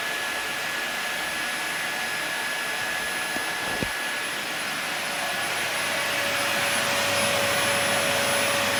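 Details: Dyson DC40 upright vacuum, salvaged from a skip after sitting outside, first power-up: steady high airy whine with clean motor tone, even and rising slightly; brushes rotate when tilted, runs normally.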